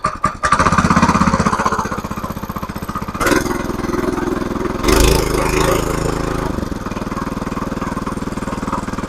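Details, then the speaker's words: Mini motoblock/motocultivator, 170 engine, after rebuild with new cylinder liner (old one scored) and new rings: starts after a few pulls, firm regular single-cylinder beat picking up cleanly with throttle. Normal running. "Mana xudo xolasa yurg'izib qo'ydik motoblokni ham."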